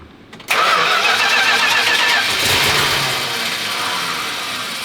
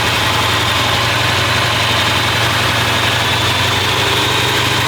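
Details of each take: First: Restored 383 V8 with crack-welded block, first start in the car after timing was advanced: loud, steady cranking hiss and whirr that never fires, because fuel hasn't yet reached the carburetor from the rear tank, so it needs priming. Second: 383 V8 in a newly restored car, first start after welded block repairs, timing just advanced; smooth constant idle at about 900 rpm with a firm even beat, no stumble or hunting; oil pressure reads very good.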